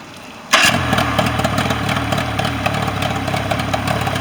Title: Mercury 40 hp no start issue 7 24 25 Final Running